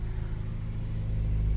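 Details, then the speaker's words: 2007 Saturn Ion 5-speed, 186 on the dash, just started: a low, steady idle rumble with an even beat and no knocks or rattles. Healthy idle. "Let's just get her fired up. [Music] There it is. Fired right up. No problem."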